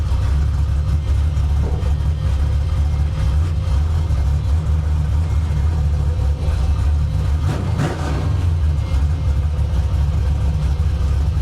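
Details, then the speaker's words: Carbureted car with an Anderson B61 camshaft and limited-travel lifters, being tuned for leaks and fuel pressure: deep, heavy, uneven loping idle that rumbles rhythmically; normal for the aggressive cam. "For anybody wondering, this car has an Anderson B61 camshaft in it. It's rowdy."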